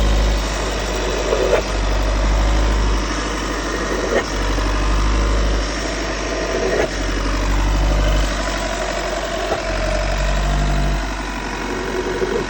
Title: What is this noise VW T6 2016